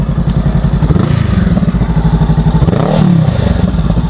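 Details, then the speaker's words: 2023 Honda Rebel 500 riding at low speed after chain adjustment, chain slap gone: steady thumping twin with faint metallic rattle on each pulse; owner thinks the light rattle is the exhaust. "There was just some light rattling. Um I think it's the exhaust."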